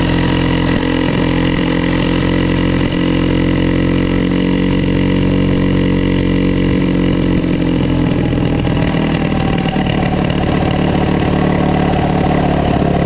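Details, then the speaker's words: Coleman CT200U-A minibike, 196 cc engine, after carb adjustments and a new carb gasket: holds a fast, busy idle that never settles and drifts higher. Owner is unsure of the cause and wonders about the clutch. "I just uh man I don't know I cannot get it to uh to mellow out"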